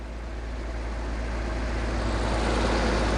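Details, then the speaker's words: 2004 BMW E46 325Ci after cleaning idle air control valve: steady low idle rumble holding even without rising and falling, slightly fast; previous loping surge gone, normal idle. "Okay. No more surging. So that's good. Sounds like it's idling a little fast."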